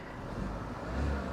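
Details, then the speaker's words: Copart salvage auction car with minor front cosmetic damage, started without a jump: a short rev blip. The engine picks up cleanly and settles back smoothly with no knocks or rattles; it sounds healthy. "sounds good. She sounds real good. This is nice. This is real nice."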